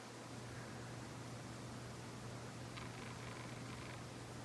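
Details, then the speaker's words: Monte Carlo Mini 24-inch ceiling fan, sold at Lowe's, on low speed: soft, steady airy whoosh with faint low hum, no ticking or wobble; moves a lot of air, running smoothly. "It moves a lot of air for a small fan like this on low speed."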